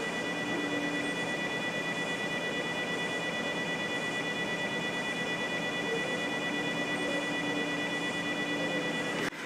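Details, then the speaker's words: 12 V fan motor driven by Arduino PWM at low setting near stall, camera held close: steady high-pitched humming whine, unchanging. PWM motor whine from low-frequency drive. "frankly there's a really annoying sort of humming whine coming from that motor"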